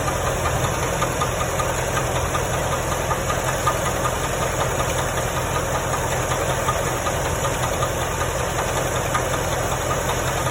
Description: This is the sound of a rod bearing that has gone bad.